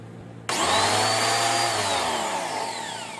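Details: New budget high-pressure washer after bearing repair (it had run dry for a long time without a hose): motor spins up sharply and holds a smooth, even hum with a clean whine, no grinding or rattle.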